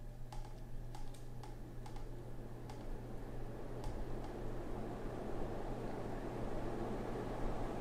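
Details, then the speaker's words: Hunter Original ceiling fan with cast-iron switch housing, speed coil, three speeds and 1.9 amp motor, started on high; a low steady hum with light ticks swells as it slowly gathers speed, a normal ceiling fan start-up. "you can see the way it starts up it starts off kind of slow and then picks up speed faster and faster that's something that sets it apart from the later fans that spin up quickly this thing kind of takes its time getting there"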